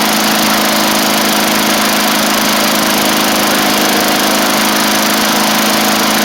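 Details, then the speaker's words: 1990s MTD Yard Machines push mower with an old primer-style Tecumseh engine, after the throttle screw was moved in. Loud, steady high-speed drone with no surging or sputter: running normally. "I also moved the throttle cable or the throttle screw in some, so it's throttled up much better now too."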